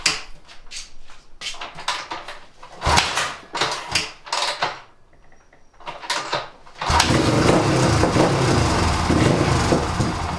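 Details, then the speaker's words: 1997 Suzuki DR350 single after idle-speed and mixture-screw adjustment: uneven sputtering pops, then a rough, wavering idle, tendency to backfire; owner suspects a worn carburetor with a loose slide sucking air around it. "it's better than it was but still has an unsteady idle and a tendency to backfire I think the problem could be a worn out carburetor as I was working on this I noticed that the slide is really loose I can move it side to side and up and down"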